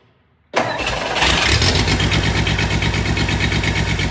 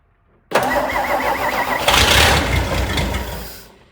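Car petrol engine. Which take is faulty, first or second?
first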